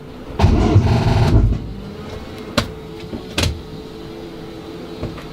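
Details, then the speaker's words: SRT set up for a compression test with fuel disabled, cranked on a jump-pack boost: about a second of heavy, labouring cranking, then the starter stops dead with only faint clicks. The battery is dead and went flat while cranking. "is dead no no we're gonna press this okay you know place that Powerball in there give you that boost you should be able to crank it away and that's it"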